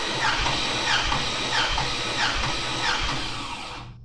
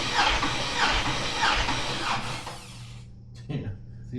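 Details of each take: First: 6.2 LS engine bought on Marketplace, compression test with plugs out. Even, rhythmic cranking at about 90 beats a minute with no stumble. The gauge reads about 195–200 psi; compression is healthy. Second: 6.2 LS engine bought on Marketplace, cranked on a newly fitted starter with all plugs out for a compression check. It turns over sluggishly at about 1.5 compression beats a second, far too slow with no resistance. Battery and cable tightness are suspected.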